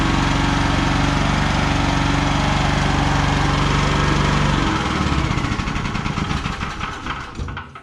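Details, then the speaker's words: ETQ TG72K12 portable generator, about 14–15 years old with about 13 hours, unrun for 10+ years, after an oil change, new battery and new solenoid: steady, even beat with no misses, then shuts off and coasts down smoothly; fixed, normal running. "okay okay she's uh fixed ready to uh get back in Action"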